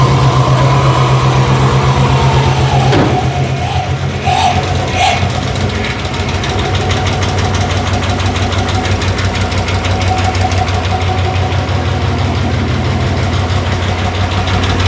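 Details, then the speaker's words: 1964 Chevrolet Biscayne, first start in over 50 years after a modified tune: rough, uneven idle with a light rapid ticking over the engine; owner suspects valve or lifter noise, later believed just an exhaust leak. "Little bit of valve noise. Not running too smooth, but this motor motor apart, but time will tell."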